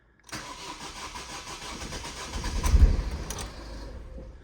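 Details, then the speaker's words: Ford Fiesta TDCi diesel with no fault codes, just driven in and warm: the starter churns for a couple of seconds before it reluctantly catches and settles to idle. The long crank is worse when cold, and the cause is not pinned down. "and it it it's it takes quite a long time when it's cold it's worse"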